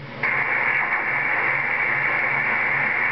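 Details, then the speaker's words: CB radio, right after unkeying: a steady rushing, whooshing hiss fills the speaker and holds without fading; an intermittent receive noise of unknown cause. "I got that weird noise when I unkey I don't know what it is yeah can you hear it"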